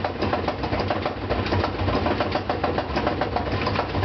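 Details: Brand-new GE washer (Sep 2012) spinning a load of two blankets: heavy, uneven thumping about twice a second through the spin, absent when empty and fine during wash and rinse; a loose counterweight banging the tub.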